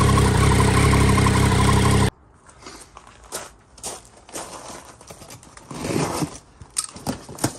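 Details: 2009 Triumph Daytona 675 triple crash rebuild, pushed round the corner to a quiet spot and run up: brief, steady, even idle with no knocks or misses before shutting off; healthy normal idle.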